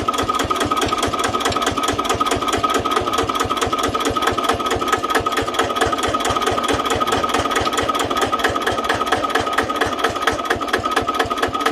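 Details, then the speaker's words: Old Japanese Daiden D200 welder-generator set (110 V, 12 V DC) driven by a single-cylinder diesel of about 10 hp, at low idle: even, steady thumping with no misses, knocks or hunting; engine runs smooth and healthy. "เครื่องนิ่มมากนะใส่ยี่แตนน่าจะเท่นะครับเครื่องตัวนี้ใส่แตนเนี่ยหวานแปลงใส่พวกใส่แตนเครื่องรถนะแตนไปช่วยได้นะไม่มีเครื่องชึกชักเลย"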